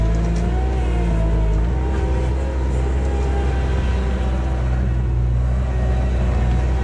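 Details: 1999 Bobcat 864 tracked skid steer digging with a newly installed rebuilt right-side drive motor (old one weak and whining under load): deep steady engine drone, smooth even drive, only faint whine under load; working normally.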